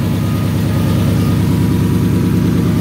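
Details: 2004 Ford Mustang V6-to-V8 swap with a replaced engine computer, just after fixing a no-start: even, regular low pulsing at settled idle, no misses, knocks or ticks; engine running smoothly, though a broken wire is still suspected.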